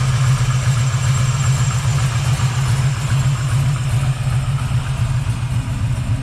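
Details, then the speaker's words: 1979 Camaro Z28 V8 after swapping the whining Pete Jackson gear drive for an Edelbrock double-roller timing chain, new balancer and water pump: deep, even idle rumble with no whine; smooth and healthy. "wow what a considerable difference I love it like I said it's going to be a lot more comfortable uh at cruising speed not hearing all that whining noise"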